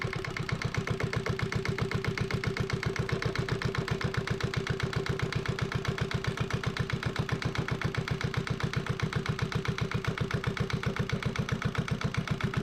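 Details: Yanmar 1GM single-cylinder marine diesel from a sailboat, run in a shop: even, unhurried thumping about four beats a second, no misses or knocks; normal idle.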